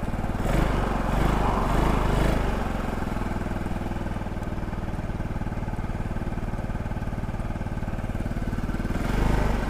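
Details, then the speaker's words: CFMoto Fashion 250cc GY6-type scooter on a first ride on a hot day: even single-cylinder thrum at steady road speed with wind noise, smoother after some run time, no knocks or rattles; cooling fan came on; normal running. "sounds smoother maybe it just needed a little bit of run time that was all it needed"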